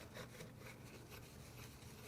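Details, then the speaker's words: Turbo removed from a tuned 2021 Subaru WRX FA20DIT that failed catastrophically at 95k miles, turned by hand and dry: faint scraping as the compressor impeller hits its housing due to excessive shaft play. May differ with oil. Turbo impeller rubbing housing. "no I can hear the house the impeller hitting the housing it does spin well but every now and then and it's got quite a bit of shaft play look at that I think that's why the impeller hits the housing"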